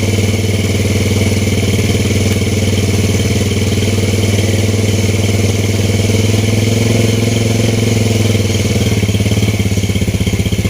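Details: Vega R motorcycle with DC ignition, running after an ignition check with the CDI installed and spark plug fitted. Single cylinder thumps at a steady low idle, firing evenly with no misses or knocks, normal.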